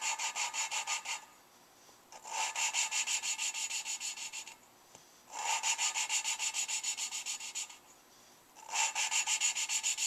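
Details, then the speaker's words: Lapping a valve with fine compound on a Suzuki Sidekick head rebuild. Rhythmic gritty scraping at about three strokes per second starts loud and fades each pass, so it is not yet seated; lapping continues until each stroke starts quiet. "it kind of starts loud and then gets quieter and quieter I want it to start quiet so I'm gonna keep going until it starts quiet"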